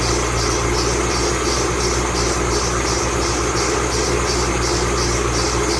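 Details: 2008 Bullitt Mustang, 8-rib serpentine belt, cold idle the morning after sitting overnight in the garage, under 30 miles driven: a high squeal pulses about twice a second at an even rhythm, a squealing serpentine belt.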